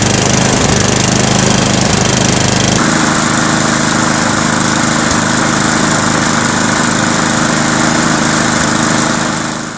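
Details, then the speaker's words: Toro Power Max 826 snowblower, first run since last year, fuel valve left on, electric start after a failed pull start: starter whirs briefly, then a steady, even run with no surging, choke off once warm; possible pilot-jet blockage cleared itself. "So, we've run the machine and once it warmed up and got some fuel through it, I was able to run the machine with the choke off, which is a good sign. And there was no surging once it warmed up."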